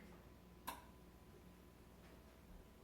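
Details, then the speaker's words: Samsung TV, old, that sometimes would not turn on, after repair with the back cover refitted: one crisp power relay click in a quiet room as the set powers up and starts normally. "I hear the click now very good"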